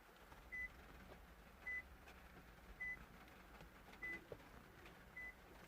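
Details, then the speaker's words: Toyota RAV4 keyless entry and start fault being diagnosed: five short high beeps from the wireless buzzer over a low hum as a key is held in place, confirming key communication succeeds. "So if I put this key here, don't know if you can hear it beeping."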